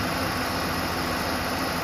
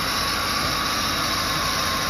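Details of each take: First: 2007 Ford Explorer XLT 4.6L 3-valve V8, about 110k miles, idling after the serpentine belt groove pulley with a bad bearing was replaced; the high-pitched whine that rose with rpm is gone, leaving a steady, smooth V8 idle. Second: 2007 Ford Explorer XLT, 4.6L 3-valve V8, about 110k miles, running at idle, heard from the passenger side: a constant high-pitched whine, abnormal for this car, that rose with rpm. The lower grooved idler pulley was visibly wobbling and its bearing was worn.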